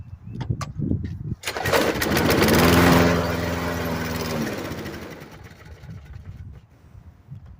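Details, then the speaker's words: Murray mower with a 5 HP Briggs & Stratton engine after a carburetor swap, primed and pulled: fires on the first pull, runs rough for a few seconds, then sags and dies; fires but will not keep running. "Well, she wants to. I think she definitely wants to start."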